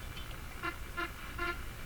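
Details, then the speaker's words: Philco Model 42-322 tube radio while tuning the low end of the band: short tonal chirps roughly every half second over faint hiss. This is an unidentified spurious signal, suspected to come from a faulty capacitor. "tune now there's that weird thing I don't know what that"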